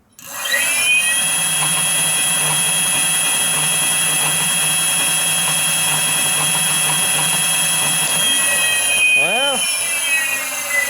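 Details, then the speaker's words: Home-made electric mountain bike, 8000W hub motor converted to mid-drive, controller flux weakening switched on (about 543 RPM without): steady high whine with stacked tones, sounds much worse; only slightly faster. Harsh motor whine with flux weakening. "Alright, flux weakening should be on. Yep. Yeah, it sounds way different. It doesn't sound great, I'll be honest."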